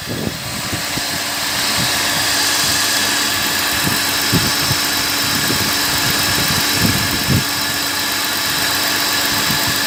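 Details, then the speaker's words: BMW E39 with M52TU six after replacing the mechanical coolant pump that caused unusual sounds: steady, even idle, smooth hum, no whine, chirp or rattle from the front accessory drive. Noise gone, pump was the problem; normal idle. "չկա, խնդիրը լուծվեց, պրոբլեմը պոմպից էր։"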